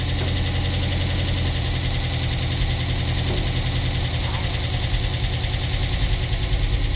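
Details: Dodge Challenger SRT8 running after a new fuel pump relay restored fuel supply: engine catches and settles into a steady, even idle with a deep low drone; running normally. Some wire still inside and the belt is cracked.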